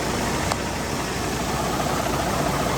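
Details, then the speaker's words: Cummins-powered semi truck started after over six months sitting: loud, rough, even diesel chatter at steady idle with no misses or knocks; running healthy, heard before the muffler. "It runs. So, Bruce, it runs. It does run, and I love the way it sounds before it goes into the Muffler."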